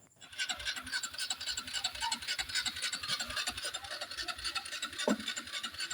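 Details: Honda Wave 110i starter motor spins nonstop as soon as the battery terminal is touched, key off and no dash lights, so the key switch is ruled out. A fast, steady scratchy whirr with an even pulse never stops.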